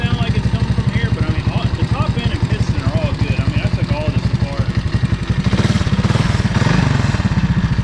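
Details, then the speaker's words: 1985 Honda ATC 200S three-wheeler with 165 original miles: quick, even tapping at about three per second rides over the single-cylinder idle and shifts with throttle. The owner suspects the source is inside the clutch cover; cause unconfirmed. "and as you can hear still makes noise now I'm going to go over to this side of the engine and actually I think the problem is coming from inside the clut over here"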